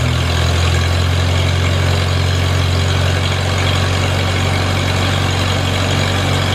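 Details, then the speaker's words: Farmall Super A tractor, cool after sitting, runs after ground and wire work restored spark: steady, even low idle with smooth firing beat, no misses or knocks; engine running fine. "okay I think we had fire I think she's going to run just fine"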